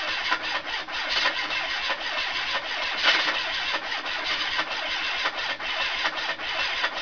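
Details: Ford Capri 2.0 Pinto engine, newly fitted, running with a steady tapping knock through a thin, raspy exhaust; owner unsure whether it is bottom-end failure or something knocking elsewhere.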